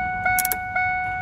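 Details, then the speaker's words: 2002 Ford F-150 with key out: with the wipers on, the warning chime rings about twice a second but is broken by extra jangling pulses; it is regular with the wipers off, so a fault in the wiper circuit causes the erratic chime. "there i get a regular ding with them off something's going on in that wiper circuit that's causing this"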